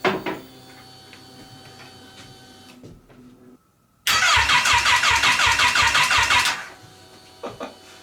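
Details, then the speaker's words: Crash-damaged Kawasaki Ninja H2 engine from eBay, first start attempt: about two and a half seconds of steady rhythmic cranking with no firing; engine flooded and hydrolocked with fuel, plugs pulled and fuel pump unhooked to clear it. "all right so I think I flooded the engine by turning it over so I unhooked the fuel pump I pulled all the spark plugs out and now we have to uh get all the fuel out"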